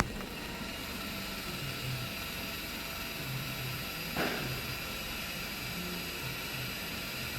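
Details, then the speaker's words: Mitsubishi Outlander electric parking brake service mode via scan tool, brake pad replacement full release: thin steady rear actuator motor whine with brief louder burst while rewinding; noise stops and dash shows finished, normal. "Yeah, once the actual the motor rewind finished, you will see the message on dash on the actual displays finished, and also the noise stopped."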